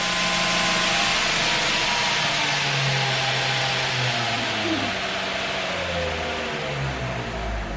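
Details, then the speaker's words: B.A. Shredder 2x72 belt grinder on a VFD running 220V in an apartment, first run forward: steady high belt hiss with a fine constant whine, no knocks or wobble; motor and belt run smoothly. "sounds like a 2JZ all right let's try this reverse"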